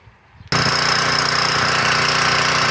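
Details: Portable gas generator with a Tecumseh engine on its old, badly worn carburetor, before replacement: loud, harsh, rattly labouring run that cannot govern itself, with leaking oil and low voltage output.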